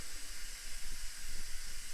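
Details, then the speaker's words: Ford Panther-platform car: when the A/C system was pressurized after a vacuum test had held for 10 minutes, a steady high hiss of escaping gas was heard almost instantly. Half a kilogram of refrigerant leaked into the evaporator box. "you could pretty well hear that hissing almost instantly, and we lost half a kilogram of refrigerant."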